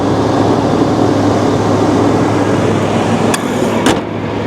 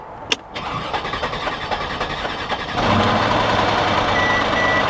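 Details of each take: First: Old truck at auction, AC needs charge; steady, even low idle under outside noise, a couple of sharp clicks as AC compressor clutch engages; engine sounds healthy: normal idle. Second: 2000 Chevy S10 Xtreme at auction, light front-end collision, about 149,900 miles: engine cranks unevenly nearly three seconds before catching, then settles into steady idle; rough start.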